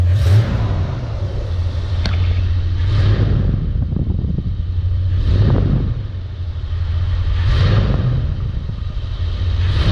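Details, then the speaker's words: Big-block V8 in a C10 idling with a deep, even rumble; the passenger-bank tick, which sounded like a connecting rod, is gone after fitting a new fuel pump and fuel pump rod. "So, the ticking noise, I don't hear. Literally sounded like a connecting rod over on the passenger side bank."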